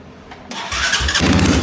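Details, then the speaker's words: Vehicle with old gas cranked on jumper cables and charger: short weak cranking burst that never catches; owner suspects dead, junk battery, possibly blown fuses. Weak crank, no start. "so as you can hear um in that video it's just not gonna do it i'm gonna say that battery is just junk"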